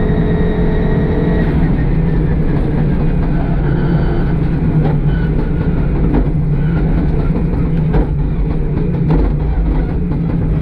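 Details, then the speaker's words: Audi Quattro Group B rally car holding high revs with a rough, choppy, uneven note; misfire still present. "Probably not now. Okay. Still got a misfire."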